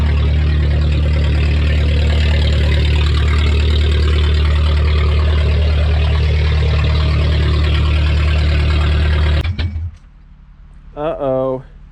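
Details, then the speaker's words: Junkyard VW Golf Mk3 warming up, not yet at temperature, very loud deep unmuffled pulsing idle sounding like a rotary, then cuts out abruptly; stall cause unconfirmed. "and she shut off interesting i don't think i got up the temp just yet it started sounding crazy like a rotary and then it died"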